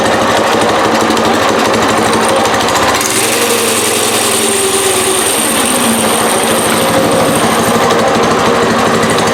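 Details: Newly mounted go-kart engine with centrifugal clutch and chain, wheels not welded so the kart stays put, choke off: steady fast single-cylinder chatter, chain and sprocket whirring freely, no misfire. Normal running.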